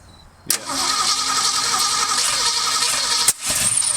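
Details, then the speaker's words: Ford Mustang engine, freshly unseized with Marvel Mystery Oil, started with a wired trigger and a little gas: catches with a sharp crack, runs ragged, then loud pop and briefly catches fire; backfire suspected from engine running slow or ignition timing out, not confirmed. "cuz the engine was running slow if the ignition timing is out of whack yeah it backfire like that"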